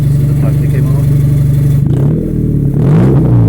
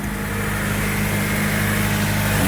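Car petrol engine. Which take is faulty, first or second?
first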